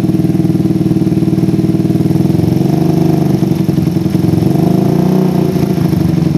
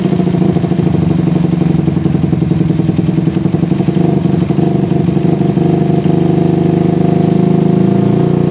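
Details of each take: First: PE24 carburetor with the stock needle jet, J6ZB needle, size 35 pilot jet and the air screw almost fully out. The idle rises and sags with a soft, wet beat; low rpm runs too rich, blamed on an oversized, too-short needle jet. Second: PE24 carburetor after replacing the needle jet with a smaller one to cure a rich low range. An even, steady putter holds its speed with no hunting or misses; the idle is more stable than with the previous needle jet.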